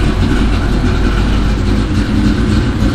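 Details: Third-gen car first cold start after two years sitting and fuel system fixes, fitted with 36 lb injectors; deep, loud, lumpy uneven idle that won't settle, suspected from the computer disliking the injectors.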